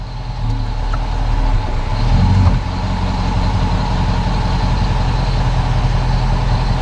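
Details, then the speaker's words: 2006 Dodge Magnum on a lift after rear differential bushings were replaced with Prothane to cure clunking: low steady idle, one soft thump shifting into reverse, no bang or rattle. Driveline tight and normal. "reverse huh everything's tight okay i'm gonna set it back down on the ground and i'm gonna go actually take it for a test drive and see what it sounds like"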